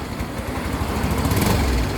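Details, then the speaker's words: Yamaha Mio i125 scooter at idle: uneven, stumbling low putter with shaky irregular beats instead of steady idle; also hard to start; misfire traced to a dirty throttle body needing cleaning. "halong gig parang nanginginig palado siya yado talaga"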